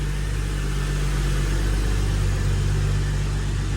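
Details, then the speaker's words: Holden VY Calais L67 supercharged V6 drift car, freshly installed replacement engine (double-row timing chain, lower km, balance shaft disconnected, upgraded mounts), first run without coolant or supercharger belt: deep, even idle, steady low hum, no knocks or misses; oil pressure 70, healthy. "Oil pressure. 70. Got good oil pressure. Actually sounds pretty good. It actually sounds really good."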